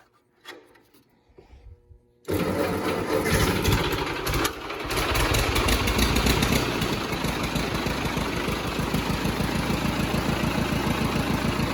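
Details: Ford 8N tractor after an oil change, in neutral with a little choke, started at about 5 psi oil pressure reaching 40 psi: brief cranking, then an even, steady thump at about three and a half beats a second; normal idle.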